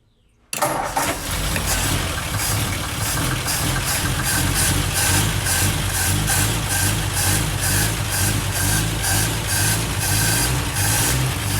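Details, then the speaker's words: 1949 Ford 4-door Custom, 226 Flathead six, first start after new intake and exhaust manifolds, exhaust flange fitted temporarily: cranks, catches at once, settles into an even idle with steady exhaust pulse and no knocks; fuel leaked at carburetor and a fuel-pump fitting. "well uh it started and ran pretty good but i noticed fuel was leaking at the carburetor a little bit"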